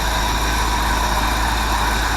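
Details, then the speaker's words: 1979 Ford F-350 with Ford 400 V8, after switching back to a Duraspark distributor and fitting a cleaned Holley carb, started with a key bump and no accelerator pump; deep even idle, no stumble or miss, wind noise; normal idle. "When a Ford is right, they crank that easy."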